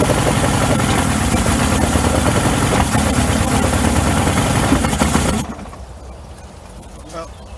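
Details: 1994 Suzuki 115 two-stroke outboard, cover off, after a 15-minute hot soak: a fast, steady popping idle for about five seconds, then shut off. Earlier it would not idle at all.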